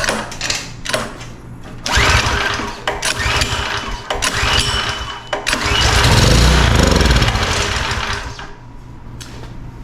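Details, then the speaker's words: Pressure washer with a 4-stroke lawnmower-style engine, pulled with the choke and throttle open on starting spray: chuffing compression bursts that never settle into running. Runs only on spray, so compression and ignition are good and the carburetor is suspected. Crank no-start. "All right, so just like the customer said, it will run on spray, which means our compression is good and our ignition system is good."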